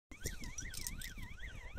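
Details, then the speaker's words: Mongoose M60 battery backup siren, relatively new, running after being unplugged: thin warbling tone rising and falling about three times a second but quiet and feeble; weak siren output. "Actually, it's really a Mongoose M60 battery backup siren, my mistake. But it is quiet, and I have just unplugged it, and it's waking up the whole neighbourhood, as you can hear."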